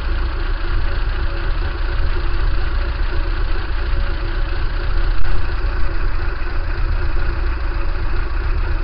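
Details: Kia Pride engine idling with abnormal shaking: low, uneven idle with a lumpy pulse and a couple of heavier surges; rough idle, cause unknown.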